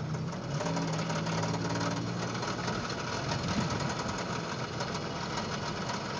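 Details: 1995 Toyota 4Runner 3VZ-E V6 while driving: rapid busy ticking knock over the engine drone throughout, bad bottom-end knock; owner suspects rod bearing, not confirmed.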